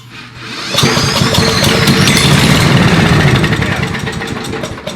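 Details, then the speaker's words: Found older Billy Goat leaf blower with a Briggs & Stratton 9.5 hp engine and relatively low compression: it catches after a brief pull and settles into a steady, even small-engine run with no misses, a normal start and run. "So this one, it actually started and ran. So this motor, even though it has relatively low compression, there might be a number of reasons for that, she'll start and run."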